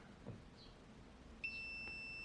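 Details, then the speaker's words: Suzuki Electro Tester SS-II ignition tester under repair, checked after the fuse was put back in: a faint click, then a steady high-pitched multimeter beep showing continuity. Good connection through the fuse holder. "there we go so we've got a good connection through there"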